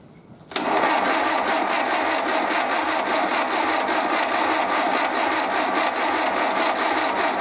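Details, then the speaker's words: 1931 British Dodge Brothers UF-10 van engine, first start after restoration, oil pressure present: starter spins the engine at a steady, even chuffing rhythm for several seconds without firing while the fuel pump fills the carburetor. "The fuel pump is filling up, so I'm just going to crank it until the fuel pump fills fully and then starts putting fuel into the carb, and if everything looks okay, it might start."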